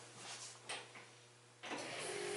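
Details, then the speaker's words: Chevrolet Camaro electric fuel pump heard priming at ignition key-on with battery just reconnected, during wiper/washer wiring work: faint steady hum rising at key-on and holding in a quiet car; normal fuel pump priming. "Hear the fuel pump going."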